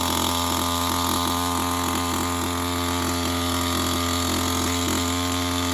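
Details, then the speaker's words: STIHL MS211 chainsaw warming up on half choke after a full-choke start: fast, even two-stroke buzz at steady pitch with no misfires or stumbles; running cleanly. "And once it fires up, let it warm up on that setting till you pop it up to the normal mode."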